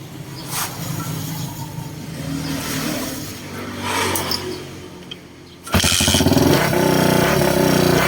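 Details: Ryuka Infinity RK125 motorcycle with no spark, after swapping the failed CDI for an adapted Honda-type CDI and running a single spark plug: the engine catches and settles into a steady idle with clean throttle blips and no misfire.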